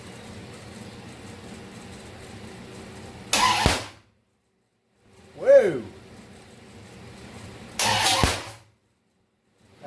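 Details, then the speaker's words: Project car first fire-up attempt: two short cranking bursts with sharp pops, never catches; owner suspects ignition timing is off. "don't sound like something's right. It sounds like time is off or something. Pop. Pop."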